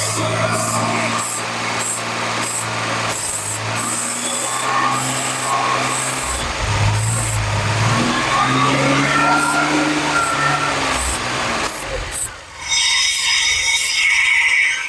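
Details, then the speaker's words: 1981 DeLorean with 4,690 miles, sitting since 1997, brought back to life with fuel and carb spray down the intake. Idles steadily and revs cleanly with no ticking, knocking or rattles; sounds fantastic, engine healthy. "This thing sounds fantastic."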